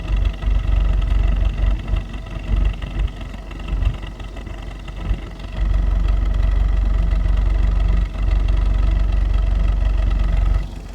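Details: 2015 VW Jetta 1.8 TSI, 14k miles, owner-reported misfire at idle that the dealer dismisses: low, deep idle with an uneven beat and occasional dips, hinting at a stumble; possible misfire, cause not confirmed.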